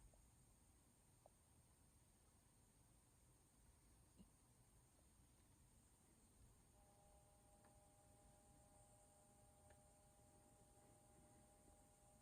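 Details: Athearn caboose with SoundCar decoder: very faint steady hiss throughout, then a thin high buzz tone partway; unwanted white noise and buzzing from the sound system, source unclear.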